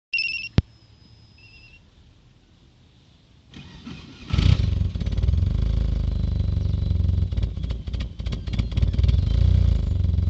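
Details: Petrol engine cranks, catches and idles unevenly, stumbling from a misfiring cylinder; one fuel injector stopped atomizing properly and delivers about 20% less fuel than the others.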